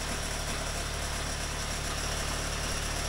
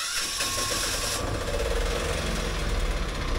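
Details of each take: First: Boat's diesel generator after bleeding air from the injector lines, fuel return temporarily into a bottle: initially rough and pulsing in rpm from air in the injector line, then a steady even beat running clean. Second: Boat diesel engine just after bleeding injector lines, temporary bottle fuel return: runs rough with RPM surging up and down from air in injector line; runs clean once air clears; some exhaust leaks.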